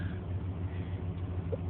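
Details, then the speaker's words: 1994 Chevy K1500 5.7 TBI V8, 253,000 miles, about 26,000 on reman long block, 13 psi fuel pressure, after coolant temp sensor replacement cured hard starts and stalling until warm: even, low, smooth warm idle with no sputter. "didn't die it was sputtering a little and right now it's idling nice and smooth like it just before it had any problems"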